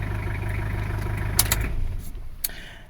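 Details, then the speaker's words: 2012 Toyota Fortuner LAN50 diesel starts and idles smoothly and steadily after its dead-battery fault, a bad voltage drop at the battery terminal, was fixed by cleaning and tightening the terminal; normal idle. "That's all this car needed. Bad voltage drop on the battery."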